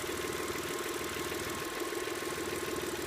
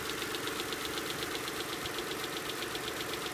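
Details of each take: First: Engine with lifter tick after adding STP oil treatment (high-mileage formula recommended): even idle with only a faint light tapping under the exhaust hum; lifters now running quiet. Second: V6 idling after several uses of STP oil treatment for lifter tick: light sharp tick about four times a second still audible though improved; owner recommends replacing the lifters.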